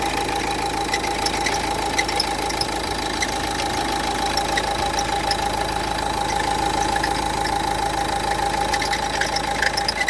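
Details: Renault Duster 1.5 dCi diesel idling: steady clatter with a constant high whirring tone over it, from a worn alternator pulley, which was replaced.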